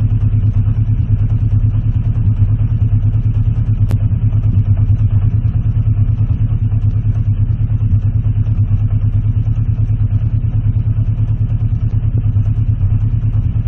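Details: Warm Honda CB650C Custom after carburetor cleaning, during pilot-screw adjustment aiming for about 1,000 rpm idle with screws unscrewed halfway. Loud low idle with a lumpy pulse about three beats a second, stumbling and choking. A clicking noise persists.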